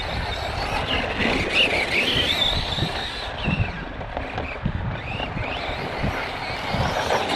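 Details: Kraton 4S RC car on hot laps after 2176 laps, 29.83 miles: high squealing whine rising and falling with the motor under load, plus gravel and handling noise; suspected unhappy bearing or gear, teardown considered, not confirmed.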